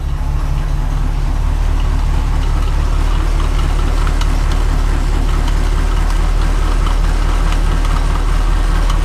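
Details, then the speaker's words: Grain truck engine idling after exhaust leaks were fixed and dual exhaust fitted: steady, even low rumble with a slight exhaust bark, much quieter, no ticking or leak puffs; sounds healthy. "That dual exhaust sounds good on there. [Music] Yeah, she got a little bit of a bark to her."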